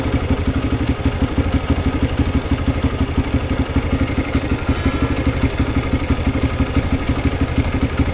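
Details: TVS Raider motorcycle idling: single-cylinder throb with an even clatter about three times a second riding on top; abnormal engine noise, cause unclear.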